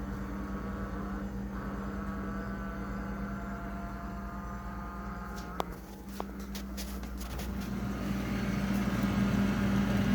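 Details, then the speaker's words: Frigidaire refrigerator, low on charge so the freezer ices up, at startup: steady low compressor hum with a tonal buzz swelling louder toward the end, plus clicks; loud, rough-running compressor noise, cause not confirmed. "[Music] and yes this sound does get very annoying thank you [Music] it also scares the living hell out of me sometimes because sometimes I don't realize that it's the fridge at first"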